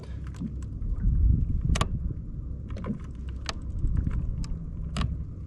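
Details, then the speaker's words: Kayak fish finder (Gen 3/Gen 4 head unit): sharp irregular ticks and crackles from arcing at the blackened center pin of the transducer plug, recurring fault causing interference and wrong temperature readings; pressing the cord can clear it. "you can hear the arcing or at least a ticking coming off that center pin into the head unit and if"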